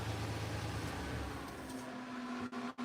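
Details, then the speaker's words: 1986 Silverado 4.3 V6 with about 71,000 miles and a new aluminum radiator, engine switched off while hot, electric fans left running: steady whooshing rush of air with an even hum; electric cooling fans running normally. "I'm going to go over here and I'm going to turn the truck off, but I'm going to let the fans keep running."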